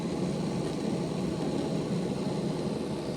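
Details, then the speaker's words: Bachmann Dash 9 model locomotive on rollers after reinstalling the motors with good contact-strip contact, run at speed steps 4 to 8: a smooth, even low hum with no ticks or rattles. Normal running after repair. "Everything appears to be working okay at this point. Let's take it up to 8 speed steps. There's 8. Sounds 100% better."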